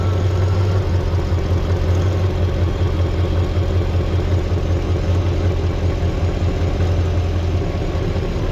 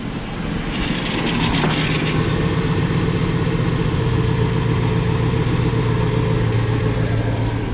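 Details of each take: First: LT1 Chevrolet Caprice V8 running without a water pump, with the original Optispark cleaned of oil, just started and not warmed up: smooth, even idle with no misses, no leak and no longer a bad ticking, though with slight hesitation. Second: LT1 car with original Optispark cleaned and resealed after oil ingress, run without water pump or coolant: steady fast idle with odd irregular ticking and rattle, like something shaking; source not identified, owner thinks it may need breaking in.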